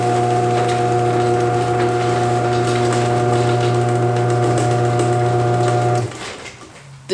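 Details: Modified Chamberlain HD200D chain-drive garage door opener, recorded close up after a vibration was found: steady low motor hum with a light chain whir, even throughout, then it stops; running quietly and smoothly.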